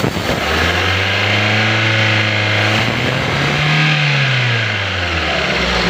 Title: No " 1 " cylinder not working. Engine knocking/Jerking. Throttle valve not open. How to solve ?